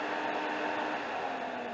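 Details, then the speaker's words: 2005 Dodge Caravan that was overheating with cooling fans not coming on: with the relay unplugged and its blue and red terminals jumpered, a quiet, steady whoosh and faint constant hum as both radiator fans run fine. The fans and their wiring work, leaving a bad relay or ECM control. "but the fans are running. So by doing that, what you're doing there is you're eliminating any of the wiring going to the fans."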